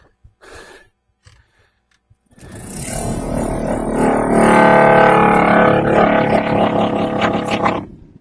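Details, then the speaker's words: Volvo V70 heater blower refitted after its faulty resistor was replaced. A loud rushing roar with a rough warbling hum comes from the slightly broken fan vibrating in its housing. It may need a new fan shroud; it is quiet at half speed. "awful now the reason it sounds like that is cuz I know that the fan is slightly broken so it's h vibrating so it'll probably end up needing a new fan shroud or whatever"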